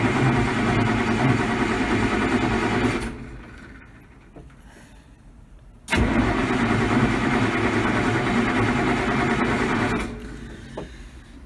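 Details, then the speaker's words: Massey Ferguson 1105 tractor sitting about 4 months, cranked cold with the fuel shut-off pulled to push oil through the turbo, fluids checked: two bursts of strong, even cranking with no dragging or clatter. It cranks over well, so cranking is normal. "amazing to have set for as long as it really cranks over good"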